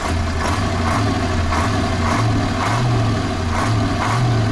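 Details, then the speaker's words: KamAZ truck with a newly fitted engine, running while building air pressure (power steering not working, needs fluid): deep, steady diesel rumble lifting promptly with each throttle blip; responds very well to throttle, sounds healthy. "Вот шестерочку накачал. На газ очень хорошо откликается."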